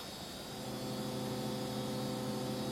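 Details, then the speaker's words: AA-PRO AdLib sound card (standard version), speakers turned up with nothing playing: steady hiss with low hum and faint whines; noise floor far higher than expected. "there's a fair bit more there than I'd really expect."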